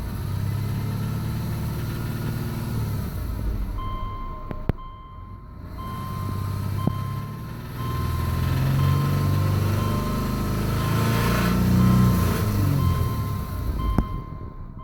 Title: 05 Legacy 2.5i knock? piston slap? tensioner pulley?